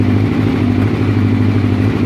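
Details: Honda CB700SC, cold, during vacuum gauge carburetor test: lumpy, uneven low throb with loose clatter, idle very bad; vacuum readings in spec after adjustment, ignition suspected, cause not confirmed.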